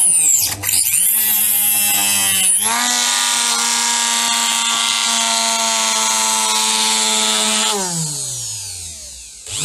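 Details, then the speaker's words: Parkside PFBS 160 B2 precision drill-grinder with a cutting-blade attachment: spins up to a steady buzzing whine with a growly undertone until it winds down, less so with no load; growling vibration, cause suspected, not confirmed. "Bon, on a clairement entendu cette espèce de grognement. Il le fait pas trop à vide."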